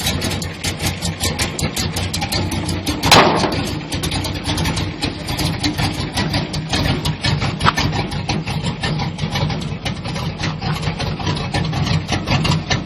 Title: Square Body Rough idle